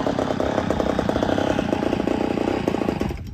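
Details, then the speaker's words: Poulan 245A chainsaw, ported, first start after rebuild, untuned: raspy buzzing two-stroke runs slightly uneven and sags, starving a touch; lean at idle or on the low jet. "still need to do some tuning but uh she's a little lean you hear it starving just a touch that's all right though"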